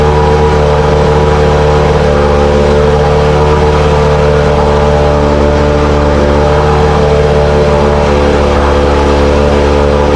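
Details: 1968 Evinrude Fastwin outboard, bought and run in a test tank with no work done, seller said it ran weeks ago; steady, even two-stroke buzz with a constant drone and no stumbles or knocks; normal running, runs like a top.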